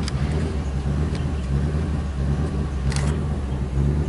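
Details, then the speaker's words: 1999 Ford F250 XLT Super Duty, Triton 5.4L V8, idling just after start: deep uneven chugging beat that stumbles and surges. No check engine light or stored codes. Misfire suspected, with hard starting in cool damp weather. "kind of a rough idle see if we can check engine light is not on surprisingly but it is a Ford"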